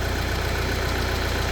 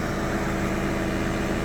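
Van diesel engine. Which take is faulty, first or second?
first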